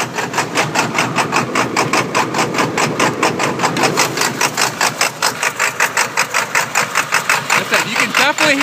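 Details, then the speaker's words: 1999 Ford F250 Super Duty 7.3 L diesel, 155k on the engine, chipped and tuned, warm idle: uneven lumpy pulse about 2.5 beats a second, engine shaking; previous owner blames a burnt valve cover gasket wiring harness signalling the wrong injector. "the mist method and that engine is shaking quite a bit"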